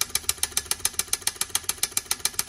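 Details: Whirlpool S25D-RSS33 refrigerator: sharp crisp clicks at a steady fast rate, about seven per second, relay clicking rapidly.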